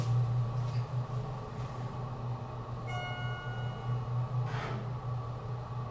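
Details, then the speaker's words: Schindler hydraulic elevator with an unusually tall hydro run in a poorly maintained parking garage; a steady low pump drone with an uneven, wavering level and a floor chime. "So there we have it, a ride on this epic Schindler NT elevator. That happens to be low on fluid."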